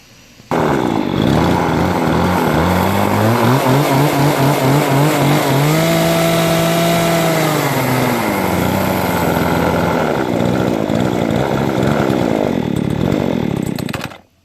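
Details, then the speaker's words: Nearly new Remington RM-4620 20" chainsaw after sawdust got past the air filter into the carburetor and the carb was cleaned: it starts but won't idle, revs surging and sagging unevenly, with the high/low mixture screws suspected out of adjustment. "so it starts and runs but you know not not as well as before I think maybe the adjustment screws might have gotten loose or something like that"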